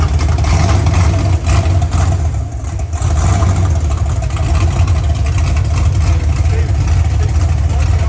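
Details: OBS truck V8 on first fire-up with open headers: loud, deep, lumpy rumble at a fairly steady idle, no knocks or rattles; air-fuel ratio erratic because the O2 sensor sits near the header end and reads lean; healthy-sounding idle.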